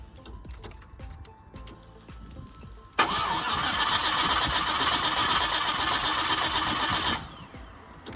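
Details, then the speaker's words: Car with fuel pressure dropping fast that starts in the morning then won't; key cycled 3-4 times first: steady starter churn at about four beats a second for several seconds, never catches. Owner suspects a weak fuel pump. "It's not, motherfucker not starting at all. It's a weak fuse pump. The mug ain't sending no. That's why I said it's the fuse pump."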